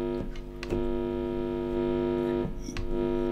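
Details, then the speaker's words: Guitar amp with the cable tip isolated in a bag and a generic wall-wart power adapter held near it: loud, steady mains buzz picked up from the wall wart and its wires. Mains hum from AC adapter. "can hear how noisy that is so a lot of noise coming from the wall and from the wires as well"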